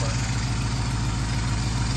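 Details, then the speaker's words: Flood-project Mopar 11 Dodge Charger idling after AC compressor replacement, system not yet recharged, intake tube off; smooth steady idle, compressor noise gone, faint intake hiss, some remaining sounds; normal idle. "so much better. Still hear some sounds, but I mean, it's much, much better. The compressor isn't making noise now."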